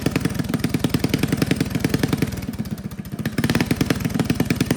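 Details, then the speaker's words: Old Russell 196cc four-stroke on a Baja mini bike, sat many years, after carb rebuild (jet and emulsion tube drilled out) and throttle arm tightened for broken idle screw: steady even single-cylinder putter under music; running healthy. "Awesome, it sounds so cool. Oh, I'm so proud of myself. That carburetor was a nightmare."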